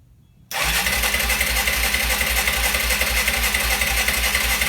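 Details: Arctic Cat ATV cranking steadily at about four pulses per second with a high whirring starter, never catching; no spark, ignition fault traced to a loose magnet, magneto replaced.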